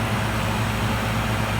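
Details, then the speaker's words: Philco Noisless 6800 BTU air conditioner from the 1960s–70s, with compressor and fan running. An even, steady low hum with no rattles or knocks. It has a full charge and blows cold, so normal running. "It sounds really good. Really, really good."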